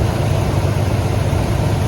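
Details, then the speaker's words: 1996 Ford Econoline E150 club wagon van, 5.8 V8, started after replacing a failed alternator (van wouldn't start); belt checked, a Gates belt; even, low rumbling idle, steady pulse, no squeal, chirp or knock, normal idle. "Now it's time to crank it up and see how it goes. Let's look at the belt. Make sure everything's running right. Nice."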